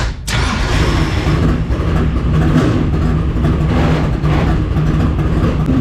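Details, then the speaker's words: Dirt track race car after trying a 615 change: loud, lumpy note that never smooths out, running rough and uneven with no clean pickup; owner suspects a carburetor stud not fully seated, its nut unable to pull the carburetor down. "As you can hear, that didn't do anything to help. That's awesome. We've got an issue that I don't know how to fix."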